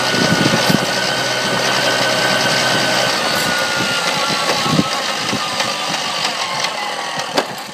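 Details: 1994 Tomos two-stroke: steady buzzing with irregular sharp ticks and rattles on top; odd noise, cause unclear.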